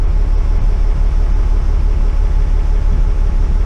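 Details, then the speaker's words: Cummins 6BT in a bus idling with a lumpy, uneven beat and heavy smoke, throttle held steady, struggling to start and lacking power; suspected air in fuel after lift pump problem plus two bad injectors: misfire on two cylinders. "coupled with 2 dodgy injectors that aren't injecting properly, or 2 cylinders that aren't firing correctly, that are causing all the problems."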